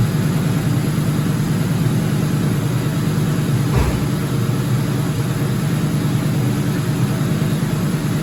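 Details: 2004 Ford Mustang GT 4.6 V8 being revived, first run with no coolant; deep, even idle with a smooth low rumble, no ticking or chain slap; normal idle.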